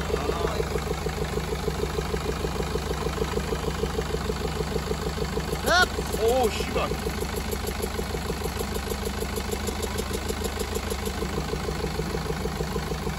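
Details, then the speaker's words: 2013 BMW 520d diesel, about 180,000 on the odometer, towed in with severe misfire and heavy blow-by; idling with an uneven, lumpy beat of roughly two pulses a second; one cylinder misfiring. "차량이 엄청나게 부조 하면서 블로 바이 가스가 엄청나게 났었어요"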